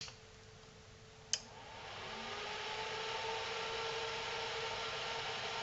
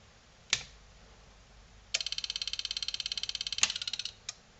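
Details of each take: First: Selco Genesis 140 A inverter arc/TIG welder powered up again after repair work: a click at switch-on, then a steady, even cooling fan whoosh with no buzzing, rattles or other bad noises; normal running. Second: Selco Genesis 140 A inverter arc/TIG welder under repair, on its first power-up (shorted transformer primary suspected): a sharp snap, then a rapid high-pitched chattering burst for about two seconds; the output stage oscillates uncontrolled.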